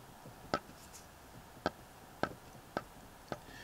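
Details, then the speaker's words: Triumph Tiger Cub with primary cover removed: sharp metallic clicks as the alternator rotor is rocked by hand, showing up-and-down play in the drive side main bearing plus some crankshaft end float; engine to be stripped and rebuilt. "we've got up and down play in the drive side main bearing so I don't know what the timing side Bush will be like"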